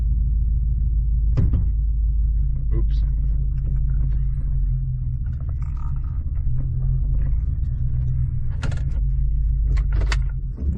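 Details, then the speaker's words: 2014 Ford F-150 with an ongoing misfire, after a new intake tube was installed without a spacer. It cranks on its own but gives a deep, uneven, stumbling idle that needs throttle to stay running and then stalls. The owner suspects the idle air control valve. "see I'm having to give it gas to stay running so I don't know that kind of makes me think maybe like an idle air control valve or something see it won't stay running now"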